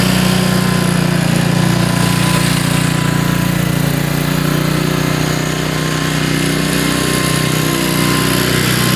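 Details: Honda HRX mower, first cold start of spring with choke and throttle set; steady, even low chugging with no knocks or surging; normal idle.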